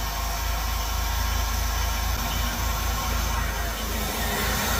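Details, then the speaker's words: Salvaged auction Buick, first run after the injector fuses were reinstalled: a steady low drone with an uneven, stumbling beat at idle, though it runs well under acceleration. Spraying starter fluid revealed a cracked EVAP purge valve as the vacuum leak; a replacement is on order. "At idle, it's sputtering. I'm sure you could see that in the last video. So, I sprayed some starter fluid around. There's a crack in the EVAP purge valve."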